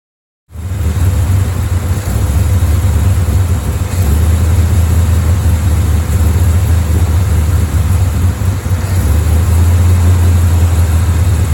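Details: Chevy Bel Air V8 during timing adjustment, aiming 12–15 degrees near 1000 rpm: deep V8 burble at low idle with sagging dips, close to stalling, won't stay running long to adjust; rough idle, cause not confirmed.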